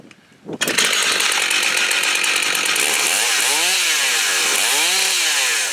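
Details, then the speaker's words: New Holzfforma G888 large chainsaw on first look, one screw already tightened: fires up and holds a steady, crisp high buzz with smooth throttle blips, no stumbling or surging; idles and restarts well; normal running. "But this thing runs, it idles. Let's see if it restarts."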